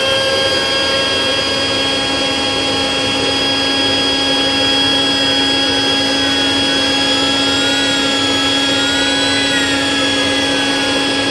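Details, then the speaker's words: Rainbow Mate power nozzle motor run on canister with stiff, dirty brush roll removed, no load; steady high-pitched even whine, no grinding or rattle, spins freely though slight electrical smell noted: normal motor run. "okay so the motor does appear to spin freely there is a little bit of a smell in there I don't mean like a burning pop smell I mean a little bit like a electrical type of smell"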